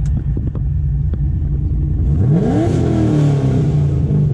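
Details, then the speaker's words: Supercharged 2006 Corvette, down on power: lumpy, stumbling exhaust beat at idle and through a short rev. It began after a fill-up at a local gas station, first a cylinder 6 misfire, then a multiple misfire code. Plug gaps and wires were checked. "still getting a crazy misfire and his car literally sounds like it's a Subaru"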